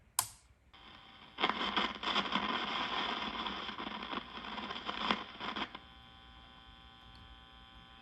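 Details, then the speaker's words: 1952 Wards Airline AM tube radio after swapping in a new RCA 50C5 tube: steady hum with harsh crackling static and sharp pops, not caused by the 50C5 or capacitors. "So, the problem was not the 50C5. You hear the popping and the crackling that this thing is doing? It's been doing that the whole time."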